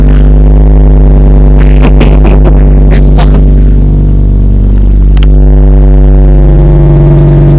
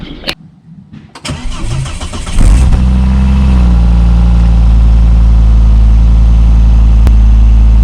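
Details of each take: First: Volvo V70 2.4 with rear exhaust silencer removed, brief start: heavy booming drone, deep steady note with a flutter over the idle, very loud; loud exhaust with rear silencer removed. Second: 2002 Volvo V70 2.4 after centre and rear exhaust box replacement: cranks briefly, catches cleanly, then settles into a smooth, even, deep idle with no rattles or puffing; healthy exhaust, car then passed its MOT.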